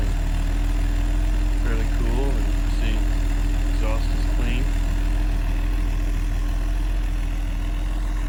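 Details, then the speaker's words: Mercedes 280SE cold start after sitting since yesterday, heard outside the car: smooth even idle with steady low exhaust rumble, no knocks or misses; healthy. "so we'll do a cold start and see what happens here and you can see it fires right up it's gonna have some lights on here for a minute or so while it warms up that's the cold start"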